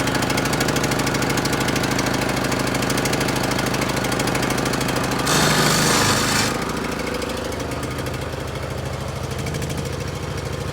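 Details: John Deere L100 riding mower engine that had not run, started on starting spray, running rough with a hammering uneven beat of about 2.5 pulses a second and a ragged exhaust; owner suspects bad fuel from the smoke.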